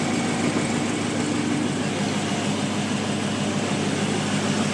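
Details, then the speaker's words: 2002 GMC Sierra 2500HD after exhaust manifold gasket repair with welded cover over a broken bolt: smooth steady idle, only injector clatter, no exhaust ticking; much quieter, though slight leak at one weld spot is seen afterward. "sounds quiet wow it's quieter not ricky ticky tabby all i hear is injectors there that's cool"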